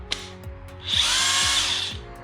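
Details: Brand-new DeWalt DCF899H 1/2" cordless impact wrench, run unloaded right after unboxing: short clean high-pitched whir of about one second, even pitch, no grinding or rattle; normal free-running operation.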